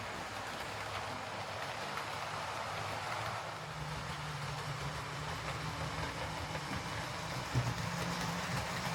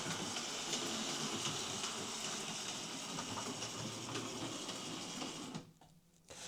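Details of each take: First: Hornby R2558 County Class model locomotive after fitting a new drive gear and blanking plate: soft, even motor whir and wheel rumble with no periodic gear click; drives smoothly, though the cheap motor is noisy by nature; normal running. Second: Hornby R2558 County Class model locomotive, bought as a poor runner: motor whirs steadily with a regular light click from a gear missing a tooth.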